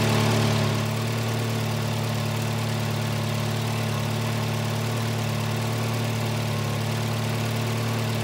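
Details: 1985 Volvo 240 (LH2.2), with the idle air control motor grounded via its blue/white wire and shown working: a steady, even idle hum holding a raised speed without dropping back, from a faulty idle air control valve (a replacement unit, later swapped for a cleaned OEM one).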